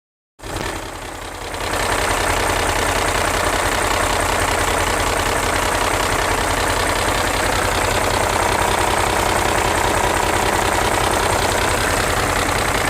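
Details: BMW E39 M5 V8 at idle only: steady, fast light tick about three per second from bank 1; bank 1 VANOS test makes noise during inlet advance and quits after exhaust retard while bank 2 passes. Exact cause unconfirmed.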